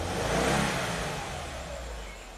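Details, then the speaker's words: Cold 2020 Subaru WRX direct-injected turbo petrol engine at idle, shaking hard, rough stumbling beat from a cylinder 3 misfire; check engine light blinking, short-term fuel trim climbing; started running badly after owner's DIY tune-up (plugs, air filter, oil, injector cleaner), something found disconnected. "It's shaking a lot. It definitely feels like it's a misfire on cylinder 3"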